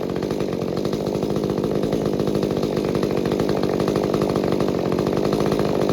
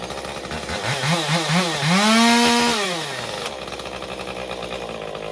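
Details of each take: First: Stihl MS201TC chainsaw after performance work, with fresh fuel and a new fuel filter: a steady high-revving two-stroke buzz holds even speed without surging or stumbling, then a clean shutdown; the earlier trouble is thought to be the fuel filter. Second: Stihl MS201TC chainsaw after performance work, idling 30 seconds to tune idle fuel settings: surges up unevenly, peaks, then sags to a ragged idle before starting to settle; fuel starvation, later fresh fuel and new fuel filter.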